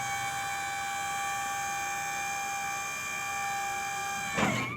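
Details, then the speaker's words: Dump trailer's electric hydraulic pump motor with a steady whine at constant full speed, then a quick stop, after a solar trickle charger kept the battery charged. Before, it barely lifted and could be heard slowly winding down. "but now it sounds like it normally did. Before, it was like barely going up, and it was, you could hear it like slowly winding down."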